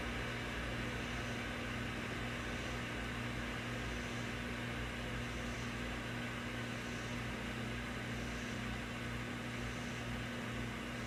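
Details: Wurlitzer 528 tube amp (from a Model 1700) gives a steady hiss over low mains hum after warmup, no signal; hiss disappears when the 6J5 oscillator tube is removed, cause unknown.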